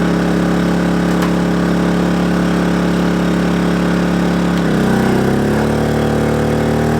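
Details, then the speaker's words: Kings 2kVA generator running air conditioner, fridge, fans and lights when the hot water service is added: the drone drops in pitch, labours and hunts unevenly, and the overload trips. Generator overload. "happens all right overload we found the braking Point whole water service airon fans lights it overloaded but it punched well above its weight"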